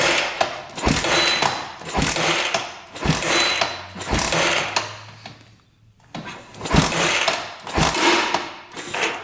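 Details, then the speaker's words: 1986 Honda Fourtrax 350 4x4 ATV, sat neglected for years, kicked over with throttle open during a compression test (125, has a decompression mechanism): a sharp metallic click on every kick over slow compression thumps. Cause unknown. "I heard something clicking every time I kicked it over so hopefully it's nothing serious"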